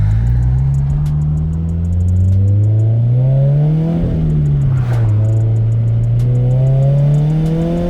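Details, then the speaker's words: Turbocharged Subaru BRZ (Speed by Design kit), blow-off valve replaced by block-off plate, driving at about 4–5 psi boost: revs climb and fall with sharp pops and crackles on lift-off, backfire on overrun alongside turbo surge; owner unsure whether the backfire is normal. "but woo the backfire love it definitely getting that iconic turbo surge sound there love it"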